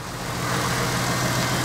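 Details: Toyota Supra with manual and turbo conversion, started with the new exhaust fitted, ignition timing not yet checked: low, uneven chugging idle under a steady exhaust drone, possibly running rich. Rough idle.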